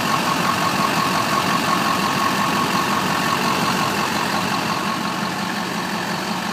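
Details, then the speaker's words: 2001 HD2500 Duramax turbo diesel, 181,000 miles, new starter and fuel filter mount: even clatter at steady unchanging idle with faint whistle on top; healthy normal diesel idle. "and listen to that engine he's a good runner guys"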